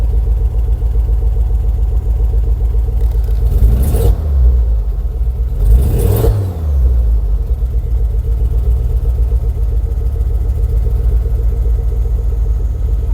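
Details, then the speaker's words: 2006 Ford Focus ST225 first running in over a year: idle with two quick blips, revs climbing and dropping with lumpy, strained note, running rough with smoke; head to come off, cause unconfirmed. "so I guess in this very short video I guess head's got to come off and need to investigate a bit more but it has got it's got no engine man has it actually"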